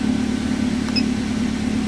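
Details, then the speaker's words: 2010 Toyota Avanza after the fault was fixed: check engine lamp off, idle down from over 1200 to 1000 rpm, and expected to reach about 900 rpm when warm. Smooth, steady even hum with no hunting or ticks, a normal idle. "Nah sekarang mesin sudah hidup, check engine-nya sudah mati, berarti mobil ini sudah normal kembali. Kemudian RPM-nya sudah turun."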